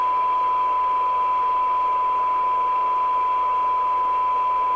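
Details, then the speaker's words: 1997 Jesan 88-900 CB27/81 UK FM CB base station revived from scrap, receiving with the PLL running; full alignment still to do. Clean steady 1 kHz tone, low hiss, no crackle or drift; normal receiver audio. "I think we're going to do this as a two-part because, yes, I can hear it, because the tune-up's quite complex on"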